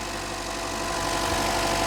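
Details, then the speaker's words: Chevy Trax/Cruze after a temporary fix taping a part back in, having jerked and misfired before: smooth steady idle with even beat, no stumbling; engine firing cleanly on all cylinders again. "sounds perfect it is running good again"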